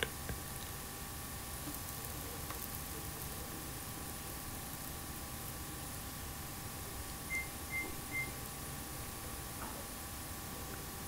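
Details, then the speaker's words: GE dishwasher won't start: three quick high beeps with a blinking LED on pressing start, the controller signalling door open though the door is shut and latched; typically caused by a faulty door switch or, more commonly, a bad power board below the door. "today we have a ge dishwasher that when you try to start it you hear three beeps the led light also blinks in here three beeps so press start"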